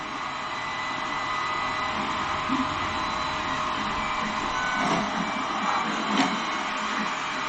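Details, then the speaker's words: Creality Ender 3 Pro 3D printer after the pause feature failed and power was cycled mid-print: steady motor whir with rough, uneven buzzing and sharp clacks from the moving axes; abnormal noise, cause unknown. "That doesn't sound good."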